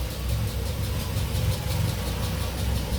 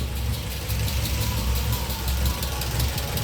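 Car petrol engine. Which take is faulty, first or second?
first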